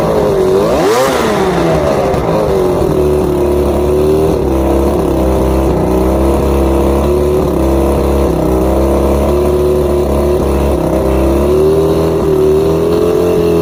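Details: Outboard on first start after reassembly, all bolts tight, no visible air leaks: after a quick blip it settles into a wavering idle with drifting pitch; rough idle, cause not yet found.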